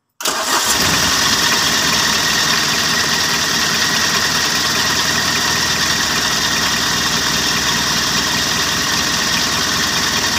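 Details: Mitsubishi L300 diesel, intermittently hard to start cold in the morning, after restoring power to the glow plug wire and refitting its relay: cranks and catches quickly, then settles into a steady, even idle with no misfire; healthy cold start.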